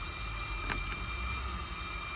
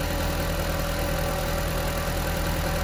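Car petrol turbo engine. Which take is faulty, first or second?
first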